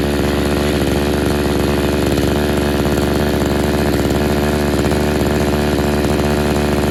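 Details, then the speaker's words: Used RedMax two-stroke edger (bought 2010) after repeated Sea Foam doses. It buzzes with a ragged, uneven beat and bogs as if flooding when given throttle. The owner suspects a clogged carburetor jet. "still not taking any gas i'll try it again right here it won't take any gas at all if you try to give it the throttle it just floods it or just kills it"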